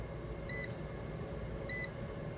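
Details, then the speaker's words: Club Car DS 48 V golf cart with a new Craftsman smart charger replacing the PowerDrive 17930, near full charge (about 58 V). Steady soft fan whir under two short beeps as amp draw falls from 12 A to about 4 A; the charger fan is running normally. "because you hear the fan running it's doing its job these are amp draw amp draw has dropped off to about four amps now just a minute ago I had 12 amps"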